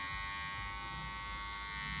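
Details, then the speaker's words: Cordless hair clipper (Sênior) with blade adjusted very close for a tight cut: harsh, loud buzz as moving blade rubs the comb; noise drops when lever is raised, rises when lowered — blade set too close, rattling against comb. "com isso ela fica tocando no pente tocando aqui nesse frente esse barulho fica pior"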